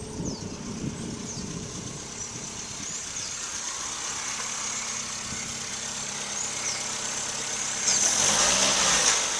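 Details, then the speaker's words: 1976 Toyota Corolla TE31 with Weber carbs, exhaust going from the cat to a two-inch hot-dog style muffler: steady idle, and small throttle blips raise rpm right away with no hesitation; normal throttle response. "no hesitation as you could tell no hesitation at all i just barely turn it and it starts to raise the rpm"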